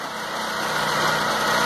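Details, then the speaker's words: 2006 Stratus 2.0 that had a misfire, after a cheap temporary trick with the ignition wires firmly seated: idle now even and steady with a smooth airy exhaust rush, no stumble or skips, unlike before. "ya el sonido prácticamente es parejo ese aire que sale ya es parejo ya no está como hace rato"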